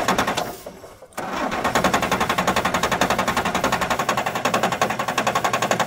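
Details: 1997 Kershaw Klipper right-of-way trimmer diesel, smoking white: steady cranking beats nearly four a second but never catches; no-start because the injection pump fuel shutoff solenoid has no power.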